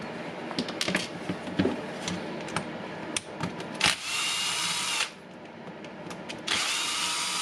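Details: Milwaukee M18 FMT multitool, two short runs with a harsh, rattly high buzz from a faulty worn head bearing, before repair with a Makita 211392-4 sphere bearing.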